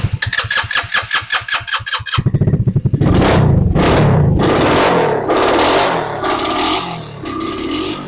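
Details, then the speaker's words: RPS ATV150 Sport 150cc quad, non-runner: even cranking, then catches, revs ragged and sags without holding speed after an attempt to pull fuel through by nearly letting it die then giving it air; fuel flow stopped, carburetor clogged, to be removed. "okay I stopped getting fuel all together the fuel is on right um yes it is yeah nothing else was flowing in there yeah that carburetor is clogged so let's go ahead and get it pulled"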